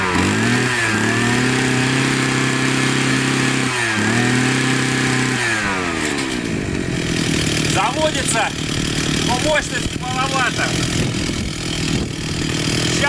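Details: Profi two-stroke trimmer that would not start after winter, started after its clogged carburetor was cleaned: buzz settles into an even rasp, then rises and falls cleanly with throttle blips; runs normally, may still need tuning.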